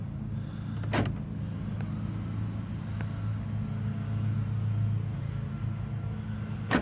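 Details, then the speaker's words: Newly replaced door lock actuator on a Toyota Matrix/Pontiac Vibe, tested with power: two sharp lock clunks about six seconds apart over a steady engine idle; actuator cycling cleanly, normal. "And I could hear it as soon as I put the power to it. I could hear it work."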